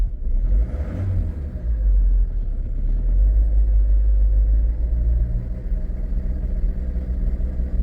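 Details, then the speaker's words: Cold diesel started on choke: turns over and catches with an uneven, lumpy low rumble that stumbles irregularly, sounding like uneven compression, not firing on all cylinders; cause suspected, not confirmed. "Oh, that sounds like uneven compression, Eddie. What's going on there?"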